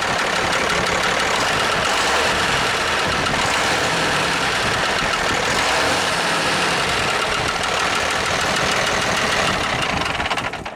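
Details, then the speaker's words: International truck diesel at first start after fixing the fuel shut-off linkage: sharp, fast uneven tapping about four per second over a rough idle; owner suspects a lifter needing adjustment, bottom end sounds fine; turbo intake hose sucks shut. "so I'm going to start it up and you'll hear the the tapping but like I said I think it's a lifter it's tapping but I think it just needs adjust it"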